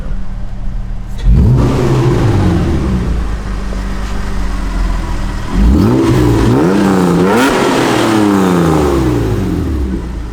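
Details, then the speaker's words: Toyota MR2 petrol engine after the exhaust leak was fixed: revs up and back twice, clean and even, with no ticking or puffing from the exhaust; healthy exhaust. "sounds sick."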